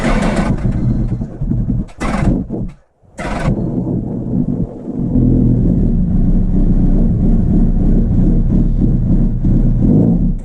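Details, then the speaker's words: Honda CBR1000RR after head gasket replacement (coolant was leaking into oil), idling around 1500 rpm: fires, stumbles, then settles into a loose, uneven top-end tick and boom; valve train knock, valve retainer out of its shim. "I think that's what you're hearing that boom I think that's the engine knock"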